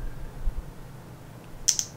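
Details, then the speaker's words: XT30 battery connector leads touched together without ShortSaver: quiet room, then sharp crackling snaps and clicking; dead short arcing, connector got hot from momentary contact. "oh yeah okay i can already hear the clicking going on over here um wow the xd30 just got really hot just for the momentary connections"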